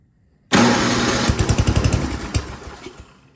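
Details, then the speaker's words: Yard King snowblower that would not start, gas and oil checked; it fires on choke after starting fluid in the carburetor, chugs unevenly for about two seconds, then stalls; the carburetor is out of tune. "all right so I think we just have a carburetor tuning issue here"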